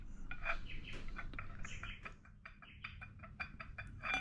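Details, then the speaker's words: Older MG right-hand rear half shaft and hub during drum-to-disc conversion, rocked by hand: irregular light clicks from play; worn half shaft splines. "you can hear a little clicking noise. There's some wear in it. So that's not really very good."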